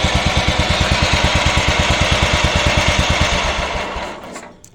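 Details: Yard-Man 15 hp riding mower with 42-inch deck, revived after sitting outdoors under a swingset: steady, even single-cylinder idle thump at about three beats a second, then it dies away. Normal idle after repairs.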